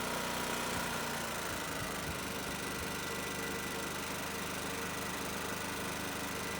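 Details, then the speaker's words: Champion 4000-watt dual-fuel open-frame inverter generator started with choke half and eco mode on: steady busy drone easing slightly lower in pitch into quieter eco idle; healthy. "So we're on, eco, chokes half. We're gonna go ahead and pull it. If I hit this eco button, you'll hear it actually turn itself down even"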